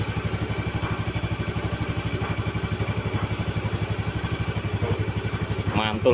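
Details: Honda Vario scooter started after repairing a jammed kick starter, fully reassembled: even putter of about four beats a second, steady with no clatter or misses; starts and idles cleanly.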